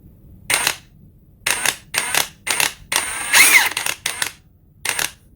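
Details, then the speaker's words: Ridgid high-torque cordless impact wrench cycled through speeds one, two and three: fires in short uneven bursts instead of a smooth run; sloppy, choppy trigger response, possibly just this unit. "that's weird that's a weird trigger it's just like it's like very i'm sure you can hear it in the video it's just choppy like"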